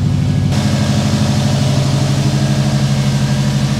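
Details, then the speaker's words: Subaru WRX idling at its first start after the gas tank was derusted in the car with Evapo-Rust; fuel pump running, steady even low burble with no misses or surging; normal idle. "There it is. Fuel pump is running. Car's running. Oh my gosh, this is exciting."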